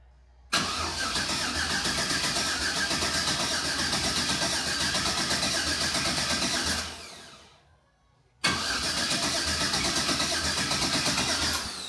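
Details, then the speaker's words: Bounty Hunter engine cranked on the starter with coils unplugged to build oil pressure: steady, uneven lopsided cranking around 160 beats a minute, pauses, cranks again; owner suspects one cylinder has no compression, unconfirmed. "I don't think it makes enough oh CR like one cylinder has no compression"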